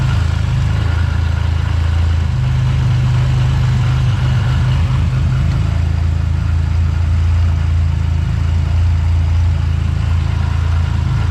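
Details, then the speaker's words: Buick GS after a Big 3 power and ground wiring upgrade, started in the rain with the A/C off, showing 14.4 volts. A deep, even idle with a steady low rumble and no knocks, misses or hunting, a normal idle. "Start it up. As y'all can see, we have 14.4 volts."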